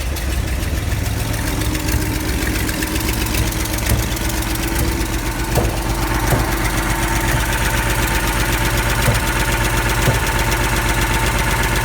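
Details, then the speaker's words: Ford F-series highboy truck with a freshly fitted engine and gearbox, replacing the old engine that threw rings and leaked oil: quick start to check an earlier noise is gone; steady, slightly rough idle with no heavy knock; not yet tuned. "just turn the engine quickly for me again i want to hear that noise is gone"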